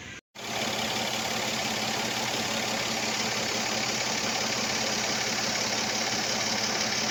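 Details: Mercedes-Benz after spark plug change: steady idle with a light, fairly regular tick about three or four per second over a hissy top end; cause unclear.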